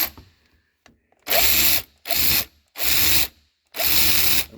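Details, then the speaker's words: Old, used Hercules 12V cordless ratchet (Harbor Freight) compared with new one: four short buzzing runs with harsh raspy gear chatter instead of clean whir; sounds bad but still works — rough running. "Right. I got the other one here. Just It sounds bad."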